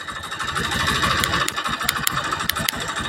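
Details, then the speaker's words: Honda Beat FI second-gen (K44) engine without the front pulley: a rough, uneven idle with sharp clattering taps and a hollow bottom-end rattle. Mechanic suspects the central crankcase; unconfirmed. "Pul depan suara tetap kasar berarti Mas salah di bagian kalter tengah"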